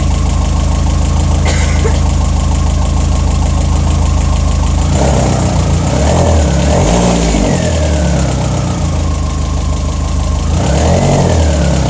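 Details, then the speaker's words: Turbo petrol engine restarted after refilling oil and coolant, idling steadily with quick light ticking over the top; loud injectors, nothing mechanical wrong. "all right what those injectors are loud"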